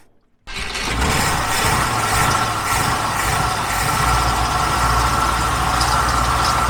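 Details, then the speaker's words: 1968 Ford F-100 pickup, likely 360 V8, revived after 20+ years in a junkyard: steady idle with a coarse low growl under it, traced to the water pump pulley. "I think that sound is coming from our water pump pulley looks like we got it seated back off just needed a love tap"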